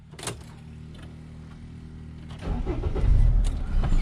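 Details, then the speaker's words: 2004 Mercedes Sprinter diesel van restarted after its codes were cleared: low, steady cranking, then a clean catch at about 2.5 seconds into an even idle. No codes returned; a healthy start. "So start it up, no codes."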